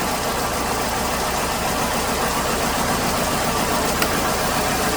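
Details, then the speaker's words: 2008 Hyundai Accent 2.0 idles with a slightly uneven, stumbling misfire; unplugging coils 1, 2 or 4 worsens it, but cylinder 3 makes no difference, showing a dead cylinder from a failed coil on cylinder 3 plus worn plugs. "it when i pulled number one two and four off it ran significantly worse and you saw that with number three disconnected it makes no difference"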